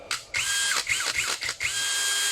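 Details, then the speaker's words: Cordless brushless drill that ran a second then stopped on fast trigger press (battery, controller, switch ruled out) after replacing the demagnetized rotor with an original one: quick trigger pulls spin up to a steady high whine without cutting out, running normally. "问题还是出在转子已经消磁的这个上面，换了一个转子已经装上去了，这个是原来的，买了一个新的，这个只能买到原装的，因为它这个不是通用款的，所以只能买原装的，死贵死贵。我们现在试一下，没有问题了。"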